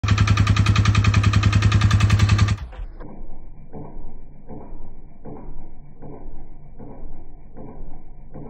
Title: 2015 Polaris Sportsman ETX. Making clicking sound after plowing